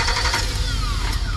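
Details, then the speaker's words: 2007 GMC dump truck after PCM reprogrammed with Tech 2: steady even cranking that never catches, crank-no-start as before; no fuel pressure despite injector pulse and spark, fuel pump already replaced, so the PCM diagnosis was wrong. "Well, it was a wrong diagnosis because it's a crank start like it was before. And there's no fluid pressure over there."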